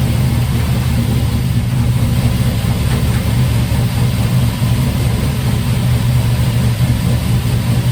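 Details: Turbo LS V8 in 1955 Buick with new homemade 3-inch exhaust (Silverado tailpipe pieces, swap-meet Thrush muffler): deep, even rumble with steady low beat, no ticks, puffs or rattles; running healthy.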